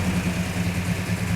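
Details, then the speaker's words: 1967 Plymouth GTX 426 Hemi 4-speed convertible, start-up test outside: lumpy, even V8 idle with light quick ticking clatter on top, normal rattle from its mechanical rockers. "That's what all that rattling is."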